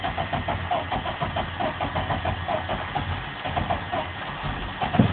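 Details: 1988 Chevy Cheyenne pickup, 4.3L V6, restarted after stalling: steady even idle with regular low pulse, no knocks or misses; healthy, though owner notes smoke and a gas smell, suspects a fuel leak.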